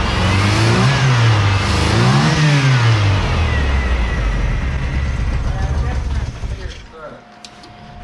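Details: Ford Ranger running on old gas, after reassembly and adding water: the engine catches, revs up and down twice, then eases back toward a smooth idle; running normally.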